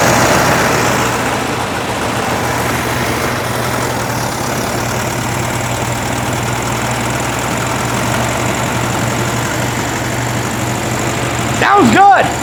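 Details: 1961 VW Beetle air-cooled flat-four, cold start with choke open on a 46% battery, revival test fire: even steady putter at idle, no knocks or misfires, settling after first fire; pretty smoky, oil and charge lights on.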